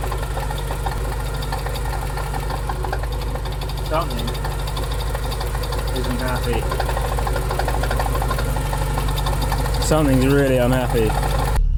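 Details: Porsche 944 started after about 20 years sitting in a hedge, on a very hot day: a rough, uneven clatter at about three a second over a lumpy idle. Something mechanical is unhappy, cause unclear.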